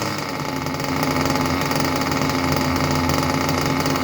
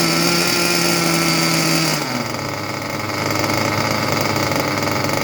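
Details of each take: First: Junkyard Mutt nitro engine on a break-in stand, first start after a needle adjustment from rich, exhaust into a smoke bag: fast, even buzzing rattle at steady pitch with no stumbles or surging; normal idle. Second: Junkyard Mutt nitro engine on a break-in stand, first start with the shroud off: buzzy high note drops and turns rough, burbling and uneven after two seconds; rich mixture, needle seemingly very far out.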